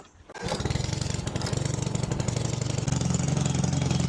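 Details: Honda HRD536 mower that wouldn't start because its throttle switch was stuck at cut-off: one pull and the single-cylinder engine catches at once and settles into a steady, even beat; normal start and run.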